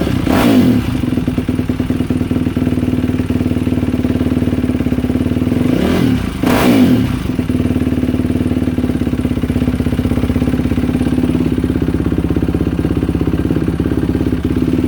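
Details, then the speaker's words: Yamaha YFZ450R single-cylinder quad, which had earlier failed to start and was reported popping. After the fuel pump tested at about 49 psi and the fuel line was reconnected, it fires and runs steadily, with a few throttle blips: running normally. "Well, this thing runs."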